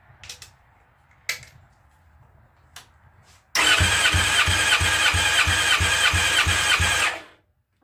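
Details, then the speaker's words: Fresh methanol engine, warmed up, spark plugs out for a compression test reading 240: brisk, even cranking with regular compression pulses about three a second on only one battery, no dragging; normal fast cranking. "i don't know if you can hear how fast it's cranking but that's only on one battery i usually run two"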